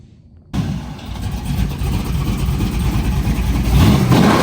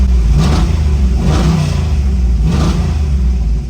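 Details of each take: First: Buick Grand National after replacing faulty Amazon-bought aftermarket coil packs: the engine catches and revs up smoothly with no stumbling or skipped beats, then settles into an even idle. Running normally, misfire fixed. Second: Buick Grand National being tuned: the engine rumbles through three rising pulls, each stumbling and breaking up under load. The misfire was traced to poor ignition coil packs.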